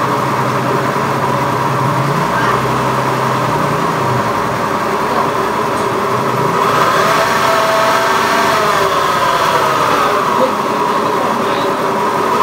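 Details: Honda Beat FI eSP eco scooter engine revving with a coarse, uneven rasp over the running note; rough engine noise, cause not identified.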